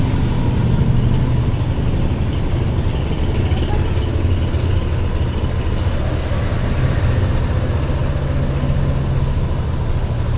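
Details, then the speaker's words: Yamaha NMAX Tech Max scooter after big CVT oil seal replacement and pulley calibration (pulley had stuck), sensor error cleared; even, steady low drone for about ten seconds with no knocking, rattling or rubbing, belt drive healthy. "Tama. Naging RPM na. Tahimik ng..."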